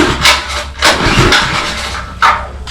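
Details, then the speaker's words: Power washer small engine run after carburetor cleaning: surges and sags in uneven bursts instead of a steady note; carburetor still partly clogged and slightly leaking, needs cleaning better. "Ooh, that doesn't sound good."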